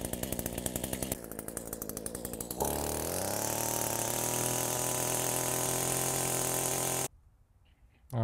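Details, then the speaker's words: Echo two-stroke with low power and no rev, after carburetor rebuild with kit and refitted air filter; idle screw adjusted. Rough sputtering start, then a steady high buzz holding revs cleanly; normal running. "Alright guys, that's it. I just adjusted this little idle screw."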